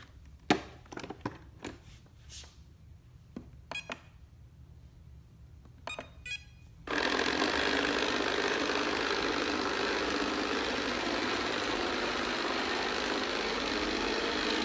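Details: iLife robot vacuum: after clicks and startup chirps, bursts into a loud, harsh, steady abnormal roar; recorded to show customer service.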